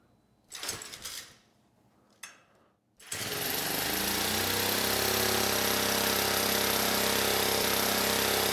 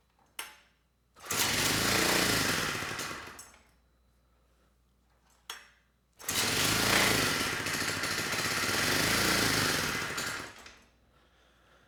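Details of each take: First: 1970s Honda E400 generator after carburetor rework, run briefly without cooling shroud; catches after a couple of pulls and settles into smooth steady buzz with no misses, producing 130 volts; healthy running. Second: 1970 Honda E400 generator, not run in over a decade, uncleaned carburetor, on choke, only a couple volts output: fires and roars a few seconds, fades and stalls when choke turned off, then catches and surges; dirty carburetor.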